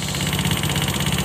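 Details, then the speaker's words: Honda Scoopy FI with CVT roller housing removed: rough, rattly beat over idle persists, so the noise is from the engine, not the CVT; cylinder block and head to be checked. "Soalnya ini udah tanpa CVT, suara kasarnya masih terdengar."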